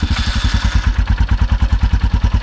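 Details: 2021 Royal Enfield Himalayan single just after new battery install and first start: deep, even thumping around nine beats a second with no misses or ticks; healthy idle.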